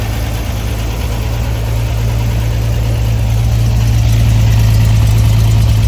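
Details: Flooded Corvair air-cooled flat-six after dropped valve seat repair and reassembly of fuel injection, exhaust and vacuum line: catches and settles to steady low even idle drone, no knocks; normal idle.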